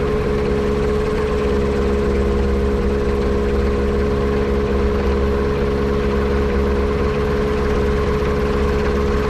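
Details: Yamaha Apex engine on a Kitfox airplane: steady throbbing idle drone with a slightly uneven beat, suggesting misfire at idle; potential vacuum leak suspected, not confirmed.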